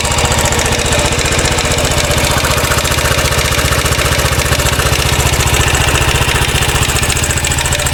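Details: 2013 Royal Enfield Classic 500 single, reassembled after teardown to remove stray M5x35 bolts: decompressor noise gone, idle about 220 pulses a minute with a busy tinny top-end clatter; oil level okay, owner to check tappets and rockers, cause unconfirmed.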